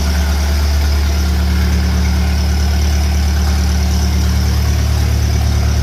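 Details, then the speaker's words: Engine on a cold day fitted with a 1956 Lucas D3A4 distributor, run briefly with no radiator or coolant; loud, even low-pitched thrum at steady speed with no misses or knocks, firing cleanly. "That's what I like. Stick a bit of metal onto an engine, make a few tweaks, and it comes to life. Definitely revving anyway."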